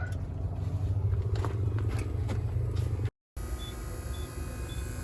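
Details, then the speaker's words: Electric fuel primer pump on an old White International truck that sat dead a while: steady low hum, no stumbling; normal priming. "yep so i can hear the primer pump working in there so let that run for a few minutes i think it goes for a couple of minutes then it cuts off"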